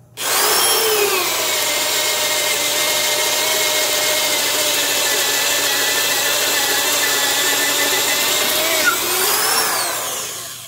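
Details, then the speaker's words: Porter-Cable 1/2" drill (5.2 A, 750 rpm, Jacobs chuck) drilling holes: a strong, steady high motor whine holds pitch with only a slight sag under load. It bogs less than the Black & Decker 1309; sounds healthy. "Even though on paper, both these drills should have right about the same amount of power, as you can see, this Porter cable just seemed to have a bit easier time of drilling those holes."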